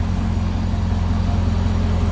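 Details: 2012 Corvette Grand Sport 6.2 L LS3 V8, very first start after AMSOIL engine flush and oil change to AMSOIL Signature Series: deep, steady idle burble, even firing, no ticks, knocks or misses; healthy.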